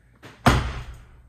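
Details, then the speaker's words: Mazda RX-7 FD passenger door after sound deadening (these doors, especially on 93s, sound like tin cans): a single deep, dull thud on closing with no tinny ring, instead of a hollow sound; solid, well-deadened door. "You can hear a big difference. And when you shut it, it's a nice thud"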